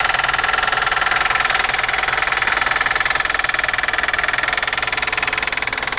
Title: ВАЗ 2109, сильный стук в двигателе!